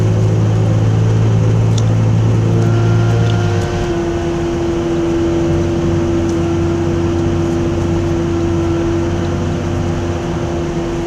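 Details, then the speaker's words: 2002 Nissan Frontier while driving: loud steady droning hum rising to a higher whine with speed from the rear, quieter the more it is driven, handling unaffected; suspected bad rear differential, unconfirmed. "more I Drive around it gets quieter but it sounds like the whole back of the car is gonna fall off however is not affecting the way the car drives at all"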